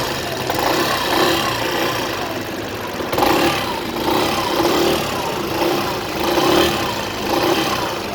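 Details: Yamaha XMAX 125 scooter running with the engine cold. A recurring surging rattle about once a second rides over the idle; the suspect noise's cause is unclear.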